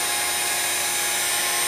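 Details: 6040 CNC router with new spindle and VFD, commanded 20,000 rpm, reading about 18,600–21,200 rpm: smooth steady high whine with airy fan rush, perfectly even. Normal spindle running.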